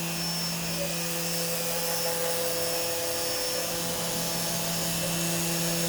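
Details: CNC router running Mach3 after a noise problem was solved with an opto-isolated breakout board: steady, even spindle whine over constant fan-like hiss with no surges or rattles; running normally.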